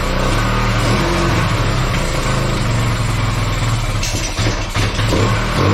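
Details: Bayou 220 ATV, sat for 8 years, after cleaning the clogged carburetor and refitting it without an air filter; the single thumps steadily at idle with a few throttle blips, no misses or coughing, somewhat smoky. Normal running and revving.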